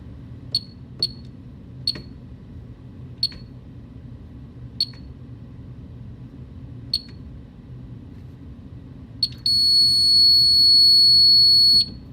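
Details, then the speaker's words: Superyacht bridge fire alarm panel, zone 1 (bridge detector and manual call point) being put into test mode: seven short, sharp high beeps at uneven spacing, then a steady high buzz for about two and a half seconds. "In this case, we're going to be testing the detector and the manual call point in the bridge. That's zone 1, so let's start by putting this fire panel into test mode on zone 1."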